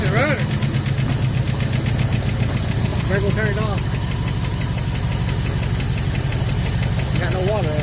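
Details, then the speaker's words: 1974 Ford F100 V8 parked 21 years, restarted after plugging two of its vacuum leaks, one still open: deep, lumpy idle with an uneven, stumbling beat, described as running on seven cylinders. Misfire, one dead cylinder. "oh yeah we got this part for a while running good on seven cylinders"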